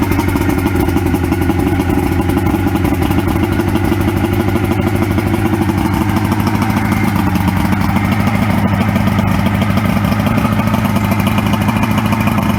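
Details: 1994 Suzuki 115 two-stroke outboard that previously stalled and wouldn't start after sitting, started after Sea Foam run through and soaked overnight, sitting about 24 hours. Settles into a steady even idle with a low burble, no misses or stumbling; normal idle.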